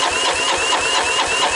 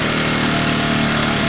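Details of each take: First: 1985 Honda ATC125M single, freshly unseized after sitting abandoned, wet compression test cranking: quick even beats about six a second under whirring starter, no firing; only about 100 psi, owner hopes valves will seat after running. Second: 1985 Honda ATC125M single, revived after seizing, PZ27 carb and portable 12V CDI, just after cold start: fast steady idle, even firing with no knocks or misses; runs normally.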